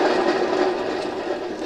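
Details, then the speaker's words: Hustler 54-inch ZTR mower with 350 hours, deck cover and belt removed, spindle spun freely: rough steady grinding rumble from worn-out spindle bearings. "you can hear how noisy that bearing is that's really noisy"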